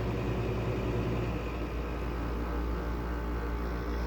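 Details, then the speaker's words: Goldstar (LG) R22 window air conditioner, low on freon, LG compressor running and cooling ice cold: steady low hum with faint buzzing rattle; vibration mostly from casing, owner suspects a rusted, wonky compressor mount, unconfirmed. "A lot of that vibration sound comes from the casing. But I also think one of the compressor mounts may be a little wonky because it was pretty rusted."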